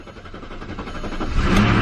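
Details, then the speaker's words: 2001 Audi S8 4.2-litre 5-valve V8, unstarted for months, on a new battery, with a feared timing-chain failure. On cold start the starter turns briefly and it catches, smoothing into an even idle with no knocking or rattle. "okay hasn't been started in months a little bit of oil getting to the top oh yeah they're goats smoothing out no way you all thought it would have a blown engine"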